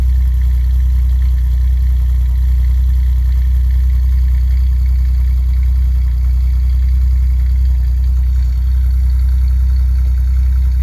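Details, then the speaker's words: 1989 Chevy Celebrity, 205,000 miles, cold start the next day after vacuum-leak and idle repairs, checking the cold-start high idle: steady, even hum with no misses, knocks or ticks; TPS later found dead; normal cold-start idle. "See if the cold start high idle goes up and comes down like it's supposed to."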